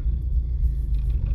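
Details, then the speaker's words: Porsche 924 after a warm-up regulator (WUR) cold start fix with new copper washers on the fuel lines, sat overnight: starts first time with a deep, steady, even cold idle rumble, no misses, knocks or ticks. "wow i don't believe it it's just started first time like on the button"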